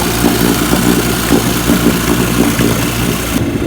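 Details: 1955 Johnson Seahorse 10 hp outboard, fully mechanically restored (ignition, carburetor and lower case rebuilt), in the water at idle: steady, even two-stroke burble with no misses or knocks; normal idle.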